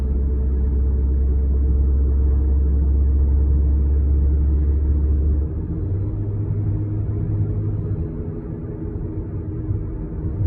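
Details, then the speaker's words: 2013 Lexus ES350 V6 on two-year-old Michelin Touring tires, cruising on a new smooth road: deep, steady cabin rumble like off-road tires, starting around 30 mph and worsening with speed; wheels already balanced and rotated, slight shake at 75 mph, cause unknown. "Michelin Touring, so they're supposed to be quiet, but this is a brand new road and it's a quiet road, so listen to this noise."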